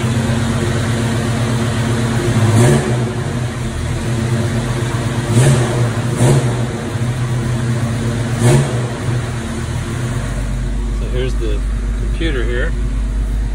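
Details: 1987 Toyota Land Cruiser FJ60 with Holley Sniper fuel injection replacing the carburetor, steady idle with four quick clean throttle blips rising and settling smoothly; runs healthy.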